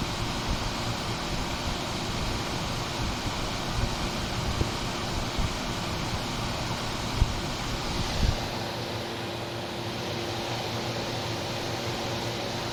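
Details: 1978-79 GE Sahara 14-pint dehumidifier with an Aspera compressor (like a Tecumseh AE), curb find, test-run after drying for 24 hours. Steady even hum with a constant mid tone and fan rush, no knocks or rattles. Running normally.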